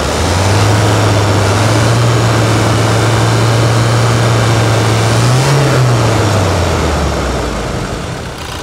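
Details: Toyota Hilux revved just after service with fresh oil. The note climbs smoothly, holds, then falls back evenly to idle without misses or rattles; the engine sounds healthy.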